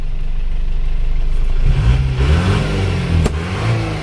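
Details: Isuzu Panther diesel after engine overhaul, warm after 5 km drive, temperature stable below half: revs up and settles into steady even low drone, no knocks or rattles; engine sounds healthy.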